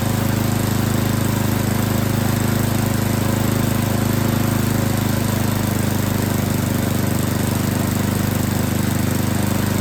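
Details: Yard King snowblower that would not start, small engine at full throttle with choke on, loud drone with uneven lumpy beat that evens out somewhat while the high and low carburetor mixture screws are set; carburetor was not tuned correctly.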